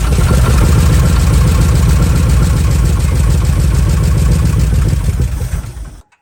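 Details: Old Ford F100 truck, first start after purchase; backfiring traced to distributor firing order set clockwise instead of counterclockwise, corrected; now fires and holds fast, steady pulsing idle before shutoff, firing evenly.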